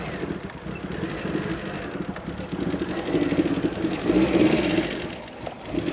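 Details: Rare 1980s Fiat Croma Turbo four, revived after over 6 years dormant; the MAP sensor was suspected of causing stalling. Engine keeps running by itself, revs wandering up and down before settling, no knocks or squeals; normal idle.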